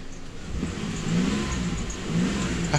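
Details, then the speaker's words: 2008 Ford Explorer after new fuel pressure sensor installed and codes cleared, no leaks: engine blipped twice, rises and settles back smoothly with even note, no stumble or misfire; running healthy. "Okay, rush the motor a little bit. She running TikTok with that new sensor."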